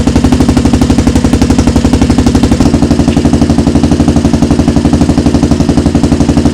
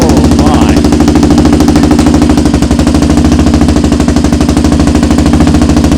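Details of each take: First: Rebuilt 400EX single-cylinder quad at idle: crisp, even thumping at about four beats a second, steady throughout with no misses or knocks; healthy idle. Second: Rebuilt 400EX single-cylinder quad on its first heat cycle: loud, choppy bark at a fast, slightly uneven idle, about three pulses a second, with black smoke; running rich, possibly debris or a baffle in the exhaust. The exhaust is very loud for a 400.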